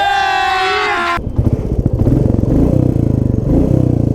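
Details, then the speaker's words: Royal Enfield Classic 350 Reborn (next-gen) single, back after a starting/ignition problem that left it not starting and dying while riding; horn, then catches and settles into steady thumping idle about fourteen beats a second; starts cleanly, normal idle. "So guys finally अपनी dark night start हो गई।"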